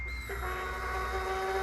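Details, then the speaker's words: 2016 Harley Sportster 883 Iron EFI after fuel pump, tank and O2 sensor replacement, about a gallon of fuel in, having just leaked fuel: at key-on a steady piercing pump whine that holds, much louder than before; check light stays on. "it sounds horrendous. It didn't sound like that before."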